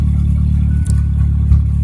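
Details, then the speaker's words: Mazda Probe on an untuned DIYPNP ECU, first freeze of winter: a low idle with brief stumbles as the tach signal drops and the tach jumps. The crank/cam position signals lose sync, and the car also intermittently loses signal just above 2500 rpm. "it's idling but it's acting funky it's gotta it's losing tack signal because the tack is jumping when it does that"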